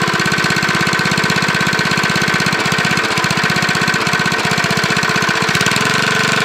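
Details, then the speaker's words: Briggs lawnmower single-cylinder engine with a JB Weld-epoxied crankshaft connecting rod journal, running with no blade: a light, regular tap on each firing stroke, a mild rod knock. "That sounds like a little rod knock there."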